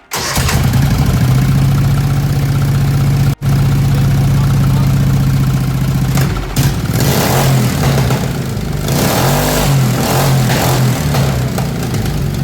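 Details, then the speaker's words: MX-1 racing mower engine after valve adjustment and twin 34mm performance carburettors, still warm, choke off: catches at once and settles into a steady, even fast idle with a firm low drone. "I love that it starts so easy."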